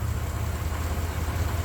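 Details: 1993 S10 Blazer after engine install, low on coolant: steady low idle with an even beat and no tapping or knocking; engine sounds smooth and healthy.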